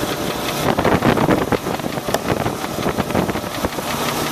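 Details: Land Rover 4.6 V8 idling with a hollow, irregular, deep knocking thump pointing toward the bottom end; suspected bad rod bearing, collapsed piston skirt or bad lifter, unconfirmed.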